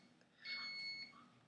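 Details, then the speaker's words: Thermal tattoo stencil transfer printer: a single steady high beep of about half a second in a quiet room, the error signal it sometimes gives on simple jobs. "you know that's just that's just something and then it has an error it does that sometimes when"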